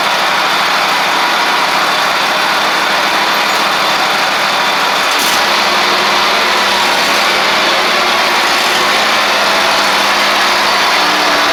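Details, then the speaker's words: Ferris stand-on mower, Briggs OHV twin, after repair: loose intake pushrod guide bolt causing a one-cylinder misfire; steady, even engine note, no misses, over hissy background; both cylinders running cleanly. "Looks good. Pretty simple fix there, guys. Luckily, it was just the intake push rod valve guide bolt."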